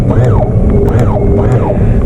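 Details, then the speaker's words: Boat outboard tilt/trim motor, blue wire disconnected from the relay and red wire touched to apply battery power directly: steady low electric hum under load as the engine tilts up; motor works, so a helm-switch failure points to the relay. "there we go the motor works right you see how i touch it let me do that again"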